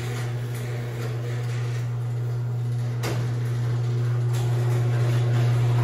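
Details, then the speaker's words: Craftsman 139.53672 garage door opener (made January 2011) on a 16x7 door: quiet going up, loud low drone with motor hum and occasional sharp clacks going down; cause unclear. "it's not really that noisy when it goes up when it goes down oh H it's holy hell"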